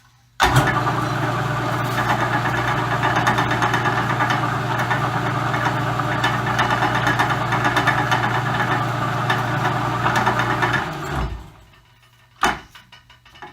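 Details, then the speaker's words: Roughly century-old Dominion Auto-Drive lathe gearbox on new oil, lathe partially disassembled, likely high speed: steady low hum with light regular clicking, then smooth coast-down; sounds as before, perhaps smoother, normal running. "sounds exactly like it sounded before to me the high-speed might sound a little bit smoother it's hard to tell usually the ladies running at the same time and there's a clicking and clacking and all that kind of normal stuff"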